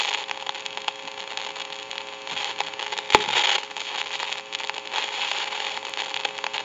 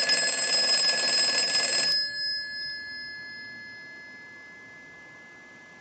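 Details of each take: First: Northern Electric Galion rotary desk telephone handset heard through an amplifier: steady hiss with constant crackles and sharp pops, worsening over time; noisy carbon transmitter. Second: Northern Electric Galion rotary desk telephone after repair, ring cycle sent from analyzer in final checkout: crisp, bright bell rings about two seconds, stops cleanly, repeats; healthy ringing.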